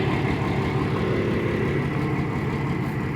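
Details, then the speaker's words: TCM FD-80 forklift with high-mileage Isuzu diesel, none of the cylinders leaking, started and idling: steady, even diesel clatter at about three pulses a second with no misses; normal idle, runs well. "it's an Isuzu diesel and it actually does run let me just start it up runs pretty good for five grand"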